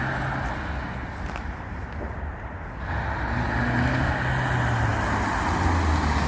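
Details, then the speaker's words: Mazda 6, one owner, 118,000 km, stock exhaust before a planned change. Mild, muffled petrol hum that swells after about three seconds as revs rise; quiet and even, a healthy factory exhaust. "Là on vous fait écouter le bruit, bon c'est d'origine, il n'y a pas grand chose. Mais puis voilà, vous verrez ce que ça donne après changement."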